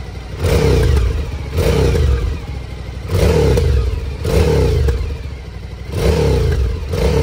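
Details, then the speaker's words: Suzuki DL1000 with a newly fitted LeoVince L12 exhaust; deep, even burble revved in repeated blips about every 1.5 s, rising and falling cleanly, healthy twin sounding better than before. "No pierdzi fajnie pierzi lepiej pierdzi niż na"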